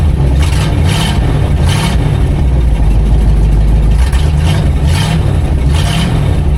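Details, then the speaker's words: 1959 Plymouth Fury V8 running after new fuel pump and upgraded oil filter housing seals fixed the oil leak: deep even rumble, steady revs, no knocks or ticks, slightly smoky; sounds healthy. "It runs It runs good. It sounds good. The motor doesn't make any weird noises it's not supposed to make."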